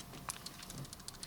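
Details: Cloupor Mini Plus 50W temperature-control box mod, only a few days old, shaken: scattered light, sharp plastic clicks at uneven intervals as loose buttons knock in their slots; button rattle, which the owner calls common to mods and not a big deal.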